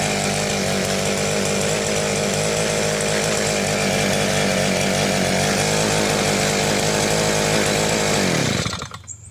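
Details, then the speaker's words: Southland 2-stroke post hole digger auger, new fuel lines, only runs on choke, smoky: high buzzy scream for about eight seconds then cuts out and dies; running poorly, carburetor suspected. "So far, it only wants to go on choke. Obviously wants some warm up. Seems kind of smoky. Seems like it took a long warm up period."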